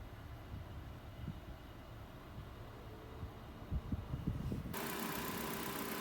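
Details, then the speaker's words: 2013 Nissan Juke at idle during an AC recharge after a slow suspected leak, set to max cold, fan at 3/4, recirc on: a low idle rumble steps up to a steady hum and hiss as the compressor clutch engages normally. "Maximum cold, fan at about 3/4, switch it on recirc. You'll hear the compressor kick in."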